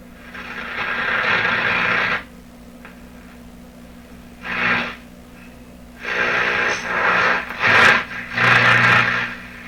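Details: Atwater Kent Model 36 radio with a suspect output tube, speaker refitted, antenna on red wire, turned up and tuned: irregular hiss and crackle bursts over a low hum, no station; radio seems to work, only household interference.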